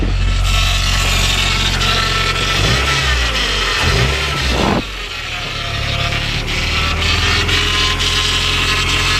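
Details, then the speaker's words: Honda Prelude with freshly rebuilt F20B (86mm bore, K20A Type R pistons), just started on first run: steady high whine over the idle, which is the power steering pump, not the engine; no smoke. "That's my power steering pump. Don't worry about that."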